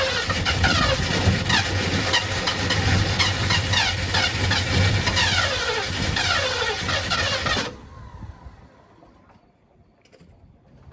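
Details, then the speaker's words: 1972 Ford F100 that sat for decades, engine previously locked up and freed. It fires roughly and unevenly for several seconds with lots of smoke, then dies, suspected because fuel isn't reaching the carburetor. Fuel starvation. "There's quite a bit of smoke. Must not have fuel to it. I don't think the fuel's getting up there."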